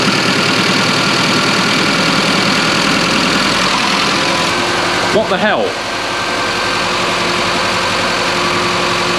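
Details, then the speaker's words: Classic Mini Clubman Estate left sitting with E5 fuel; plugs cleaned and compression checked: catches and runs with an unsteady, lumpy beat and a brief whistle. Uneven running; the owner suspects a fuel problem, either sludge in the tank or the fuel pump over-fuelling. "I've got horrible feeling it's a fuel problem I think it's either a sludge in the tank crap in the tank all that that fuel pump is over fueling it"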